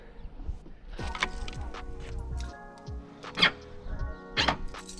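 Two sharp, solid clunks about a second apart as the boot popper fires, with music behind; the solenoid is actuating properly.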